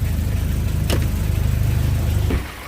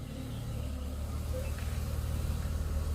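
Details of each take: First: Audi A4 1.8 that came in with a misfire, after replacing the dead spark plug with a BMW plug: steady, even low idle pulses with no stumble, then the engine shuts off; misfire gone, normal idle. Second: Audi A4 (1.8) with a misfire: low uneven idle stumbling about three times a second; scan shows ignition open-circuit misfire faults on cylinders 1 and 4, one cylinder dropping out from a dead spark plug.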